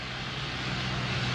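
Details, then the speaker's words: Allis-Chalmers WC tractor with 4-inch bore, in a tractor-pulling contest under heavy load: deep steady exhaust bark holding an even beat; strong, healthy engine. "he's wins all kinds of pulling contests with this notice a good bark to the engine"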